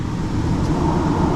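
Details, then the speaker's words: Car idled with shaking after new battery; after cleaning throttle body and mass airflow sensor it idles smoothly around 800–900 rpm, steady even low hum with no shake or stumble; normal idle. "no more shaking it's running right now believe it or not you don't believe me all right i'll show you there you go turn like a kitten shaking everything's gone it's probably around 8 900 rpm like it should be"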